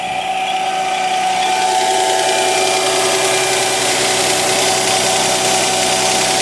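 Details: Mercedes CLK320 M112 3.2L V6 after replacing shredded serpentine belt, tensioner and upper pulley: steady even idle hum with clean belt whirr, no squeal, chirp or slap.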